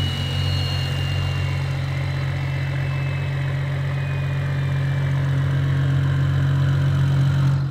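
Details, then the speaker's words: BMW 335i E90 xi, built N55 engine with Speedtech bottom-mount single turbo kit (T51R mod), first start before break-in and tuning: smooth low steady idle, even beat, faint high whistle, no ticks or knocks; quieter than the previous setup; normal idle. "don't know if y'all remember this setup before, but before it was so loud, the turbo quieted it down a lot. It's actually so much quieter."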